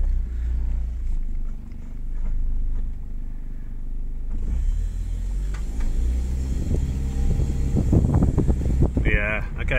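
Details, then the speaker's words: Warmed-up Honda Fit/Jazz CVT after adding Xado EX120, pulling away up a steep drive: low engine drone rises evenly with no judder or surging; the earlier shudder is gone. "why okay that has gotten rid of the shutter that's pretty cool"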